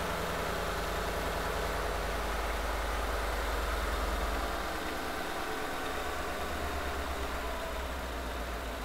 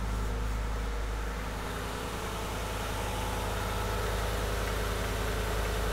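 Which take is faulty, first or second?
first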